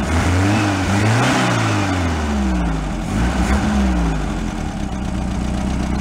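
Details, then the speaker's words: Air-cooled VW bus engine, valves adjusted, old fuel described as pretty bad. A low, steady thrum with a slight rise and fall in speed and no knocks or rattles. Normal idle. "engine sounds nice the bowels adjusted but"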